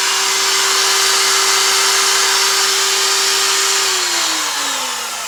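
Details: Second-hand Elu router after bearing replacement: a clean, steady, high constant-pitch whine that slides down as it coasts to a stop, with no bearing rumble or grinding.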